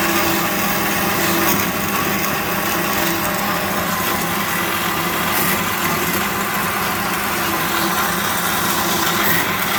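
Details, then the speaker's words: Amada H650HD band saw cutting steel after cleaning, repair and fixed hydraulic leaks; steady even hiss of the blade biting through steel with a constant drive hum, no rhythmic knocks or squeal, a healthy cut, though the blade has a few missing teeth. "Figured we'd demo it cutting steel. It'll cut steel, it'll cut wood. Cleaned up real nice."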